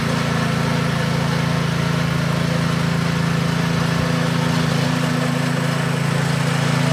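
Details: DeWalt pressure washer engine transplanted onto a Scotts rotor tiller, running after the swap; smooth steady fast beat with a constant low drone and no misfires or knocks, running well.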